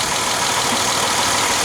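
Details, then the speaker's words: Dodge Nitro after misfire repair: rebuilt head, new head gasket, intake plenum gaskets, belts, timing belt and tensioner; no fan installed, not yet revved: short steady idle with an even hiss-like whir, no stumble or miss; smooth and healthy. "Yeah, new tensioner on the new timing belt, new tensioner, and yeah, I mean it's sounds pretty good."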